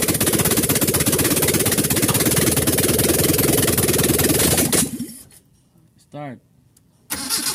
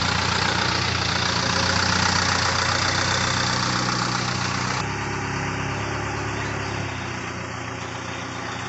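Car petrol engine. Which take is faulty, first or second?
second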